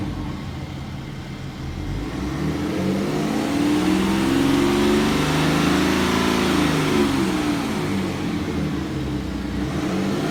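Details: BMW N57D30 diesel at 325,000 km held up in revs: regular tap about four per second riding on the engine, misfire-like tapping; owner unsure, possibly normal but louder than others.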